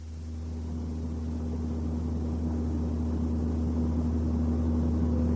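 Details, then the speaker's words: Toyota at about 90 km/h cruise, when the noise is most noticeable: constant low booming drone at one pitch with no knocks, measured at 60 Hz, most likely an out-of-balance or bent propeller shaft. "ты согласна анализатору частота шума 60 герц это чистота соответствует то есть которую мог бы вибрировать карданный вал в случае несбалансированности или бен это значит что шум вызывается скорее всего карданным валом"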